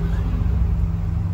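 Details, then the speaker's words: 1986 Nissan 300ZX 3.0, after grounding the fuel pump's black-white wire: deep, even engine rumble revving smoothly with no misfire, running properly now. The missing pump ground signal is the fault; its source is still unknown. "ven Ya está trabajando bien entonces lo que le está haciendo falta aquí es la señal de tierra"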